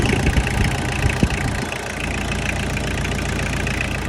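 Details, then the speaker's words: Tractor diesel idling after being pulled from a pasture as a non-runner with a dead battery. The injectors were tightened so they wouldn't leak air, and the intake hose was refitted. It needs a fuel filter. Even, steady clatter with no stumbling: normal idle. "All right, I got back idling. Just gonna make sure all my injectors are tight. I don't want them to leak any air."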